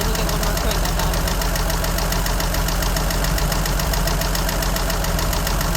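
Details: 1963 Jeep Gladiator at a rough low idle: a rapid, steady light tick, about three to four per second, from the top end. Oil is very dirty and two quarts low. The battery drains quickly. Cause unknown.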